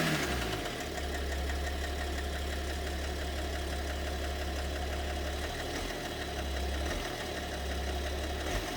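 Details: BMW 730d with M57 (306D3) diesel at idle, mysterious knock: low throbbing knock drops out briefly and returns. Owner suspects possibly two cylinders involved; cause not clear.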